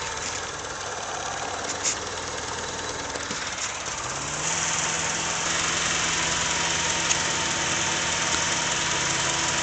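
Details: Honda Civic idling: quick, fairly even ticking puff over a hissy exhaust note from an exhaust leak.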